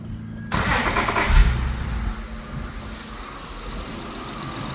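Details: 2006 Acura TL, started after a repair for engine knock (part changed, shavings blown out): short crank catches quickly with a brief flare, then settles into a quiet, steady idle with no knock or ticking; sounds healthy.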